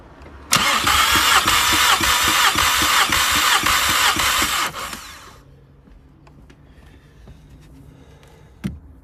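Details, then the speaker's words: Mk5 VW Golf GTI with cylinder 3 misfire, compression test with fuel pump fuse pulled: even cranking about three beats a second; cylinder 4 about 205, all 185–205 within 5%, so likely not mechanical. "this one it's about 205 so they're all around the same figure they should all be within about 5% of each other"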